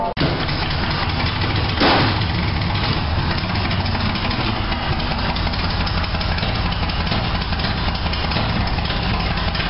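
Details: 1987 Toyota Supra MKIII with swapped 350 Chevrolet Vortec V8 and 700R4, after rebuild with firing order and timing set: quick crank and catch, then steady, even idle, no misses or knocks; normal start and idle.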